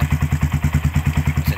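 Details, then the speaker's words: 2010 single-piston twin-spark-plug carbureted Bajaj-class sport motorcycle, over ten years old, kick-started first try with no battery fitted: even single-cylinder thump about nine beats a second, steady and round with no misses or tapping, healthy idle. "dan dengarkan saja suaranya bagus sekali untuk suara mesinnya dengarkan sangat bulat sekali kelasnya bajaj dan ini mesin karburator ya"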